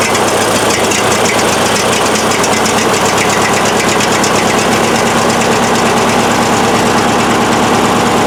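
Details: Craftsman riding tractor after its clicking-but-not-starting starter solenoid was tested and replaced: steady single-cylinder chatter with an even, quick pulse and no misses; normal running.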